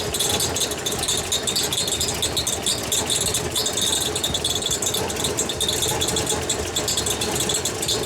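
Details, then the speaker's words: Holden VK Commodore Berlina V8, first run after over 10 years stored, coolant cap off: steady metallic dinging and rattling over smooth idle; suspected fan hitting something; smoke from transmission fluid. "all right I think that dinging is the fan hitting something but it seems a bit weird"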